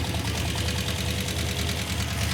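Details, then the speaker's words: Hemi engine running hot, with a loud, fast, sewing-machine clatter from the top end heard at the valve covers; heavy valve train ticking that grew louder on one side; suspected collapsed hydraulic roller lifter or loose rocker arm, not confirmed. "well the number one problem here is the valve train noise it's really loud and I think it's a hydraulic roller lifter that's collapsed"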